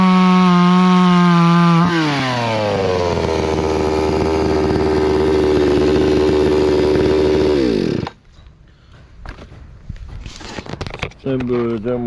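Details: Hyundai 650 two-stroke chainsaw after fixing its stalling from fuel starvation, test-cutting a tree: revs high, pitch sags and holds as the bar bites wood, then drops cleanly to idle — normal cutting under load.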